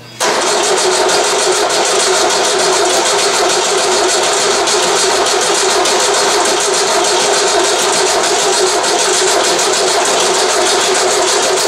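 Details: VW 1600 dual-port engine on a test stand, cold start: steady starter churning for a good while without catching because the carburetor float bowl is empty; won't fire until fuel fills it.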